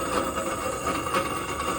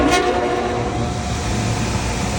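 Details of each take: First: York package unit evaporator blower motor run with the blower wheel mechanically detached gives a steady harsh rumble with a thin ringing tone; motor bearings at fault, motor to be replaced, wheel appears balanced. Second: York package unit with a replaced evaporator blower motor, running with panels off and spinning in the correct direction: a steady, even rush of air with a low hum, and no squeal, slap or knock. Normal running after the motor replacement.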